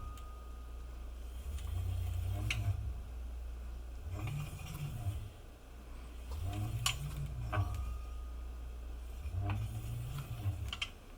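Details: QS205 50H V3 hub motor on Holmes MMP 17"x1.6" rims with Shinko 241 tires: deep buzzing and vibration swelling and fading in slow waves, cause unknown, plus separate light rotor/pad scraping.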